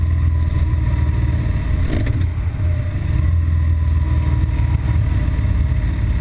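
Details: BMW R1200GS Adventure boxer twin at idle, an intermittent fault that usually appears on hitting traffic after about 20 miles of fast A-road riding: uneven, lumpy low beat dipping and surging irregularly, rough running that threatens to stall.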